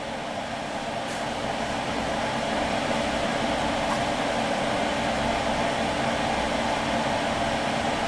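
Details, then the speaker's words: Xbox One with its stock fan modded to run on 12V at unlimited full speed, heard from the back while booting. Steady airy whoosh with a faint constant whir, louder than stock. No rattle or grinding; healthy. "it's louder than what it was sure but it's going to be running a lot colder than what it was two"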